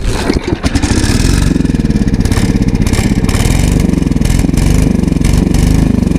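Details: Old Ditch Witch trencher small engine with water in the fuel tank, run to pump the water out before the fuel line is hooked up: loud, uneven low chugging with a fast beat that surges and stumbles. It runs rough from water in the fuel, which is mostly gas afterwards.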